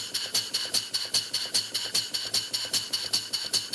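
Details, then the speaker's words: Model steam engine running on air, slide valve set only by sight before adjustment: quick hissing exhaust puffs about 2.5 per second alternating loud and soft, exhausting more on one side; valve mis-set off-centre. "weird it sounds like exhausting more on one side than the other"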